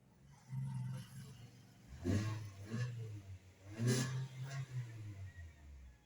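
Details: MG ZS, previously a no-crank no-start, now starting after repair with brake pressed: quiet idle broken by several clean throttle blips rising and falling smoothly with no misses; engine runs and revs normally.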